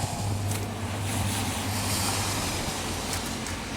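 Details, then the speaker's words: 2010 VW Routan 4.0L that quit while driving on the highway, cranked: the starter spins the engine fast and freely with no compression chug and no firing. The back of the camshaft doesn't rotate, pointing to a broken timing belt. "so this should rotate when the starter is cranking and I know you can't see much of that spine get that harness out of the way but you should be able to see that rotate"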